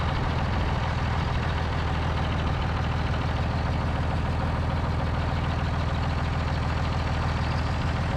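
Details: Steady, even low diesel rumble at a settled idle with no knocks, misses or hunting on a John Deere 3350 tractor after head gasket replacement (combustion gases had been getting into the water jacket); healthy while warmed up to check thermostat and leaks.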